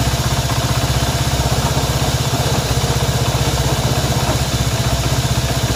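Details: Honda CB190R: even idle with a firm, regular tap about four times a second above the exhaust beat; abnormal engine noise, source unclear.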